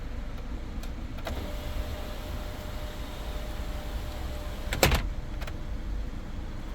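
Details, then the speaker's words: 2017 Kia Sportage EX panoramic roof after installing a replacement motor: steady, even motor whine for several seconds with one soft clunk near the end, no skipping or grinding. Glass and sun shade close and open properly. "everything properly closed here sun shade is on the maximum closed position also is the panoramic glass let's pull the button opens properly"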